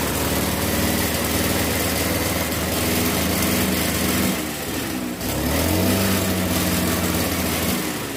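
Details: RBC411 two-stroke brush cutter revs up and settles into a rough, shaky drone with violent shaking through the shaft; before this a loud noise came from the clutch housing area; caused by bent tips on the cutting blade, fixed by straightening them.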